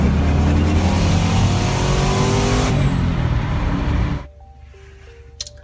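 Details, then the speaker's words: Twin-turbo 4.6 2-valve Mustang, forged build, about 3,000 miles, cheap filters: hard wide-open-throttle pull with violent choppy flutter from about 3500 rpm, wastegates heard opening and closing; turbo flutter under acceleration. "if you heard on that video clip right there you'll hear around 3500 rpm which is be a right around here it started to water quite violently and you could even tell when it's under wide-open throttle on the throttle you could hear them waste gates opening and closing"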